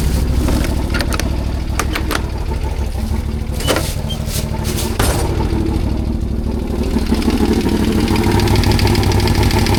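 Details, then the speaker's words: CFMOTO CForce 1000 ATV (2V91Y engine): loose, slightly uneven tapping about three times a second over idle from the second cylinder; engine knock, owner suspects valves, cam chain or tensioner. "Блин, что-то стучит. Клапана что ли стучат? Вот с этого цилиндра стук идёт."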